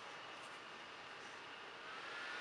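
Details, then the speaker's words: HP Envy 14 laptop (Intel i5 460, Radeon 5650) rendering video with processor maxed out: steady airy hiss with a faint rising whistle near the end as the cooling fan spins hard; loud under full load but normal, body gets very hot. "But it gets pretty loud. I've heard louder fans before, but it does have a lot going on, so I don't know."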